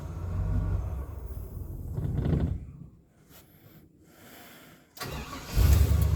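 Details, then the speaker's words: Barn-find Chevy 3500 8.1 V8, sat about two years, low on coolant: long cranking that stumbles and dies, then catches and settles into a deep, steady idle; normal idle. "she's idling she's idling"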